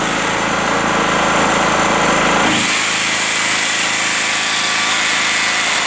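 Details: Rotakt generator warming up with no load after its first start, choke at run, 232 V output: even, constant drone with a bright hissy top end and no misses or knocks, running cleanly at normal idle.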